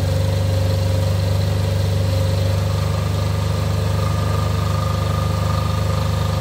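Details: Off-grid diesel generator after service for fuel problems and cutting out, test run before load: even steady drone, no lumpiness or misses; lumpiness seems cured, running smoothly at idle.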